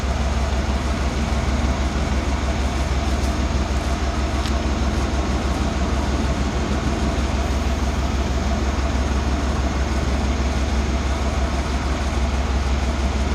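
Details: 1991 Cadillac Brougham with a new cat-back exhaust: new resonator and Walker Quiet-Flow SS stainless muffler, fitted to cure drone near 59 mph. Held off idle it gives a deep, even rumble with no beating or drone; about 68 dB at idle.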